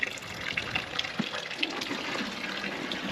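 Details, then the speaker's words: Dempster water pump that had trouble keeping its prime: steady splashing and gurgling flow with light irregular drips, no air seen at the weep hole; pumping normally for now, though not very hard. "You can see our our weak hole is still draining and it's not really I don't see any air coming at it. So, we're doing pretty good right now."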